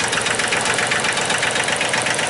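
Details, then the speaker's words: 2005 Massey Ferguson tractor, 3-cylinder Japanese-made diesel, crank no-start being diagnosed: uneven, lumpy chug with a missing beat. It ran on only two cylinders because a high-pressure injector line was left disconnected. "I forgot to reconnect that high pressure line that's why I was only running on two cylinders"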